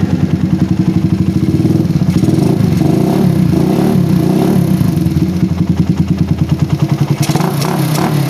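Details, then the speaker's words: PE24 carburetor after moving the needle clip to the top to cure a rich low-to-mid range. The idle screw now needs only slight adjustment instead of being set deeper. The small single thumps at a steady, even idle with no stumbling; the idle is normal. "saya setting sedikit aja dia udah idle kayak gini guys ya kalau sebumnya itu idealnya harus sedikit lebih dalam nah ini perbedaannya ya"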